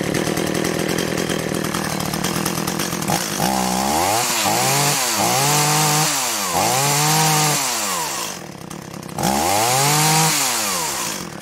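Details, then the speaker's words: Echo CS-400 two-stroke chainsaw with Zama carburetor, cold start: blipped in short bursts with crisp pickup, pitch climbing and falling cleanly; starts well cold and runs well, healthy. "runs well though starts well good cold"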